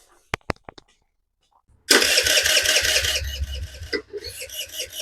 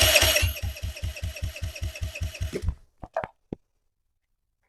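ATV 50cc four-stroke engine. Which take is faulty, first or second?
first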